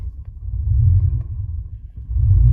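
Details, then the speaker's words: 1982 Porsche 928 V8, coolant topped up, throttle nursed at startup with everything dirty: deep rumble swells and sags about every 1.5 seconds instead of holding steady; hunting idle. "that's idle drift. It drifts and then stops. So that's the way it's idling right now."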